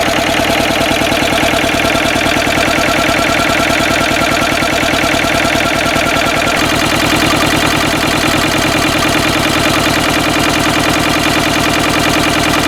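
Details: Westwood lawn tractor's Ruggerini twin-cylinder air-cooled vertical-shaft diesel, previously hydrolocked, running after repair with new starter motor; steady, even chugging about three beats a second holding a smooth rhythm, running healthily.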